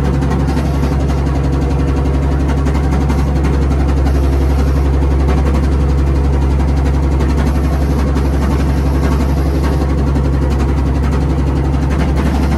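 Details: Old Komatsu WA180 wheel loader diesel idling with a heavy low drone and a regular deep knock near four per second; rod knock, engine died and owner considers it done for.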